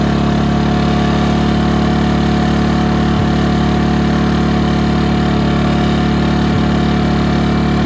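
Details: Ryobi RYi2322 inverter generator, 0.1 hours runtime, after clearing carb jet blocked by fuel left in the bowl: smooth even drone at constant speed, no misses or surging; runs normally.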